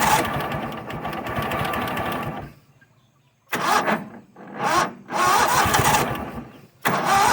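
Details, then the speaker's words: Toro Wheel Horse 266-H mower, 26 hp Kohler V-twin with new fuel filter, pump and apparently new carburetor, primed with gas: short, sluggish cranking bursts with uneven pauses, never fires; slow labored cranking, starter suspected, a cable getting hot. "Alright, so something ain't right. Probably that darn starter."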